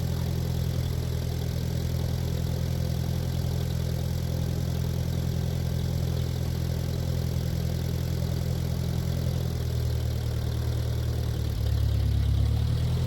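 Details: 1947 Ford 8N tractor, just started on jumper cable, out of gear: low lumpy idle sagging and wavering as if about to die, then steadying slightly as the carb is adjusted with a screwdriver; rough idle, smooths out after carb adjustment.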